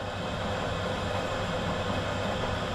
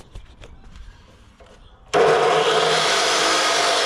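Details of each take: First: Big drill press run unloaded from an EcoFlow Delta 2 battery power station, drawing 560 watts doing nothing: smooth, even hum with a steady faint whine, no knocks or rattles; running normally. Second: 2,200 W drop saw run from an EcoFlow Delta 2 battery power station spins up with a harsh, loaded roar the unit can't sustain; it draws more power than the station supplies, too much for it.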